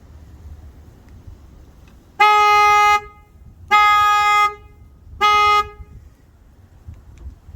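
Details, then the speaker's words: 10th-gen Honda Civic Sport with an aftermarket horn replacing the stock "meep meep" horn: three short honks, full and steady with a fairly deep, manlier tone and no crackle or weakness. Normal horn operation. "It has a much manlier tone to it."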